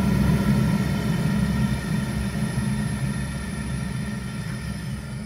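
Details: Zhukovsky heating boiler, 1997, heard with the gas valve opened further, past the roughly quarter-to-half position where small noises appear. A steady, low, even roar with no pulsing, popping or rattle: normal burner operation.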